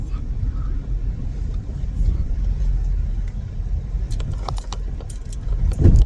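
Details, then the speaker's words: 2006 Toyota Highlander with Monroe Quick Strut rear struts, six months and about 5k miles old, driving over speed bumps with passengers; steady road rumble then sharp knocks from the rear; broken rear strut top mount. "Ew. Yeah, it sounds like something broken back there. So that was the noise."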